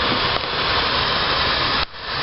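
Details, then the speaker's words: Audi A4 1.8T, engine off, boost leak test with regulator trying to reach 5 psi: steady loud hiss of escaping air, dropping when the spot is covered; intake can't pressurize; major boost leak at an elbow. "But what's happening is, since there's a big boost leak, which you can hear already, the air is passing through that boost leak, and we can't, and this won't even pressurize because it can't build pressure in the boost line. So that's a major boost leak."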